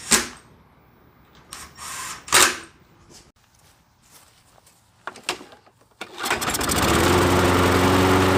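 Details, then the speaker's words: Discarded nearly new Toro mower that wouldn't start, after repair, run for a while: clattering, then catches into a steady, even drone with no misses; fix confirmed, running normally. "so after having it run for a bit i'm determined that we fixed the issue"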